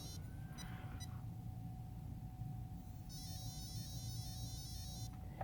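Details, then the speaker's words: Castle Creations ESC calibration with battery plugged in (polarity checked) and controller on: full throttle applied gives a stepped series of high beeps over low motor hum, confirming full throttle is registered before the full-reverse and neutral steps. "we'll make sure our controller is turned on and apply full throttle power on our speed controller and wait for tones to admit"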